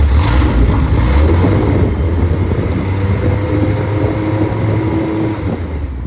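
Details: Freshly rebuilt MG Midget/Triumph Spitfire 1500 four-cylinder, compression 178–186, about 9.1–9.2:1, double timing chain and double valve springs: smooth, even run with good oil pressure and no knocks or ticks. Normal running.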